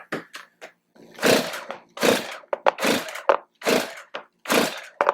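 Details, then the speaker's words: Stihl MS251 chainsaw, no start after a recent tune-up, lost power then popped: each cord pull gives rushing, hissing air noise with occasional loud pops and low compression; compression blowing out past stripped spark plug threads. "So, it's like a lot of air noise. Um, occasionally you'll hear a loud pop noise. Something's just not quite right. Compression feels kind of low on it."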